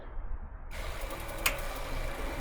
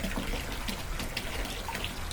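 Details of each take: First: New off-brand Wasserman hot tub recirculation pump, 5 gpm, about 5.5 PSI, first start: short silence, then a soft even low hum with a faint steady whine as it primes and flows; much quieter, running normally. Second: New Wasserman 5 gpm hot tub pump, full heat, medium flow: irregular splashing and gurgling instead of smooth flow, like air drawn through; owner suspects an air pocket in the filter below, later fixed by replacing the intake hose.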